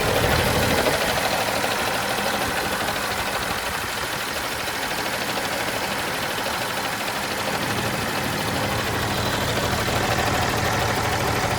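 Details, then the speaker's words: John Deere JD6081H six-cylinder diesel, 10,739 hours, in a 300D articulated dump truck being parted out: steady even diesel rumble with regular clatter, no misses or knocks. Runs great, smooth healthy idle. "I think I saw it. must have that exhaust gas thing, but it runs great."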